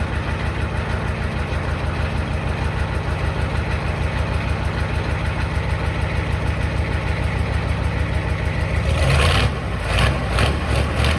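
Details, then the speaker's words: 1986 Ford F150 XLT with a swapped 7.3L IDI diesel and temporary straight pipe, first start after the swap: steady, even diesel clatter with a firm low rumble and no misses or knocks; idling smoothly. "all right and just like that she is alive"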